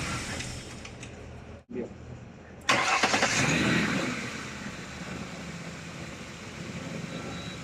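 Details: 2010 Ford Explorer after repairing electronic throttle body actuator motor wiring (had misfire, RPM hunting, codes P2100/P2104/P2107): short crank catches quickly, revs flare then settle to smooth steady idle; starts fine.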